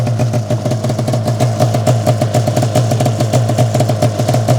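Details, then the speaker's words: 2005 Arctic Cat Firecat F6 two-stroke snowmobile, first start after sitting for years, smoking, clutch not disengaging: fast, even idle with a sharp rattly knock on every few firings; source of the abnormal noise unknown. "Whoa. That didn't sound good. What was that? That didn't sound good at all."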